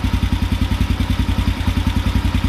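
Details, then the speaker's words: End of the carburetor idle drop procedure: small quarter-turn mixture screw changes no longer alter the idle, so it has reached the plateau. Steady, even low thumping at a fast idle with no misses, and the engine is running phenomenally. "there's no real change at all that's that's our plateau okay when you can adjust it very small in this way this way there's no change you're pretty much right there"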